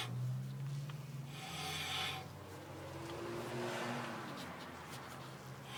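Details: VW Type 3 Squareback front disc brake: a rhythmic dry rasp and rub that comes and goes with wheel rotation. Brake scraping noise, cause not yet known.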